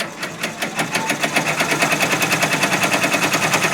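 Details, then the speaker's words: Brother PR1055 multi-needle embroidery machine restarted after clearing a bird's nest and trim sensor error; quick, even clatter around three stitches a second, steady and unbroken, stitching normally after the fix. "you've really got to have a big jacked up mess for that to happen give it another go sounds good"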